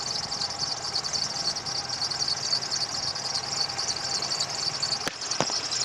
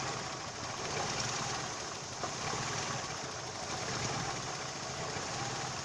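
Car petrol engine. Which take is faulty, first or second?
first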